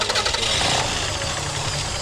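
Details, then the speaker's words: 2000 Toyota Avalon that had no spark on all cylinders, started after adding a new ground wire; catches right away and holds a steady, even run with no stumble or misfire: normal start and run. "And he's running again."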